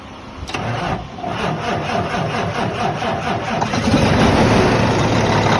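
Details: Cummins ISX diesel at first start after a new fuel pump head was installed to fix code 559, low fuel rail pressure (SPN157 FMI18). It catches and settles into a steady, even idle clatter with no misses or rough patches; healthy.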